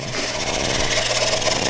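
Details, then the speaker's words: Traxxas Spartan: a harsh, rasping grind rides over the motor whir the whole time it runs; owner thinks he completely broke it, something in the drivetrain chewing, cause unclear. "I don't know what the heck is wrong with this I think I just completely broke it I don't think it's supposed to be making that sound"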